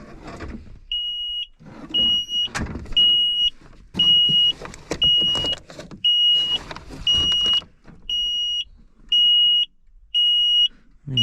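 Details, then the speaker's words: John Deere 310G backhoe stuck in park, key on with jumper wire to release park brake; high-pitched dash beeper pulses about once a second, roughly ten times; warning alarm sounding, cause unknown. "where's that audible alarm and just unplug it right there let's uh let's unplug that piece of i'm kind of tired of listening to that damn thing"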